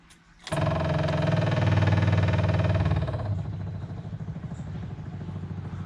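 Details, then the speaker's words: Jaguar MKII during reassembly, fuel system turned on to hear the pump: steady low hum with quick regular pulsing about four per second, then easing off; normal fuel pump priming, a petrol leak found afterward at the top fitting. "I hear the pump. It's still pumping. Okay, that's going to be enough."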